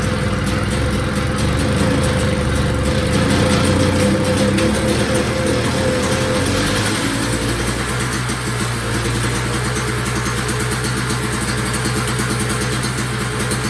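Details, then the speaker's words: Two-stroke single-stage snowblower, previously a no-start with good gas, choked and primed: speed rises and falls every few seconds, smoking and leaving an oily mess; surging badly, carburetor suspected, not confirmed. "well it made a nice uh oily mess on my floor and as you can see it was smoking pretty good it's surging really bad"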